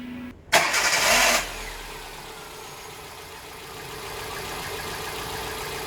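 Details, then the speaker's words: 2010 Hyundai Getz 1.1 after valve clearance adjustment: starter cranks briefly, engine catches and settles into a smooth, even idle with no valve-train ticking. "Then ito naman yung tunog after ko ma-adjust."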